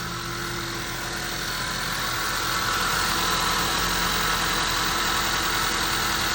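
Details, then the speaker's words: 2015 Honda CR-V 2.4L AWD, restarted after its oil was drained, idles steadily and quietly with no rattle once the startup rattle stops; the cold-engine growl is suspected from VVT solenoids, phasers or sprockets. "sounds pretty normal right now"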